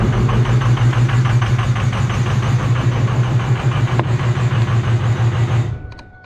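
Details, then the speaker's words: 2005 Ford 6.0 Powerstroke diesel just started on a new 6.4 starter: loud, raw, deep chugging idle with harsh uneven pulse and no muffling because the exhaust came disconnected at the downpipe; shut off quickly. "but we shut it off really quick because i don't know mike it might try to get down there and look at that exhaust real quick because it came disconnected at the downpipe"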